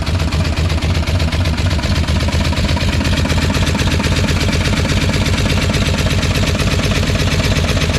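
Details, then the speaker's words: Long-neglected four-cylinder car started after sitting outside, throwing gunk everywhere: rough idle with light regular ticking, valve train tapping, owner hopes lifters will quiet down as it runs; cause not confirmed. "I guess it'll find a tappy level at some point running"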